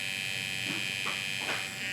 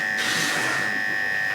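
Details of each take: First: Hair clipper after blades were cleaned and oiled: even high-pitched buzz with no labored drag or rattle, much quieter than the labored, loud sound before cleaning; runs freely and normally. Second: Hair clipper running after a Cool Care spray: steady high-pitched buzz turning harsh and scratchy as the blade runs dry with no oil, metal sliding on metal, which dulls blades quickly; oiling is needed.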